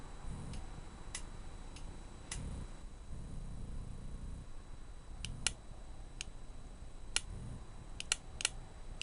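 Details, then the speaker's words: Bench test of a relay meant to switch a 36V battery meter from a 12V motorcycle ignition: crisp single clicks as the relay pulls in and releases, switching the test bulb on and off properly. "so when we touch our lead it's like when we turn the key on the motorcycle you can hear the relay clicking"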